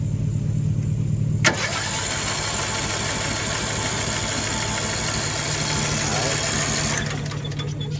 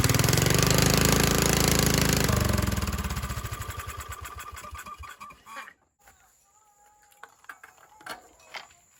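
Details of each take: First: Cheap broken riding mower with spark, fuel and a shot of starting fluid: steady, even cranking churns for about five seconds and never catches. A valve seat problem is later found, losing compression. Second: Cheap formerly non-running riding mower, single-cylinder engine pulses loud and even, then slows and coasts to a stop; carburetor float bracket broken, fuel tuned with cutoff valve; runs properly once fuel flows freely.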